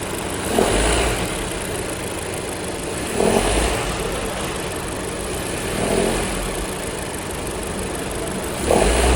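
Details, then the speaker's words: Honda Civic RS Turbo, in D with AC on above a certain rpm; engine runs steadily while a harsh rasping grind surges every two to three seconds, from the auto tensioner: failing serpentine belt tensioner. "Like गाड़ी को जैसे ही आप स्टार्ट करके D में डालते हैं और साथ में AC भी ऑन करते हैं तो ख़ास एक RPM के ऊपर आके बहुत ही अजीब सी आवाज़ आती है, जो कि किस चीज़ की है, वो है ऑटो टेंशनर की।"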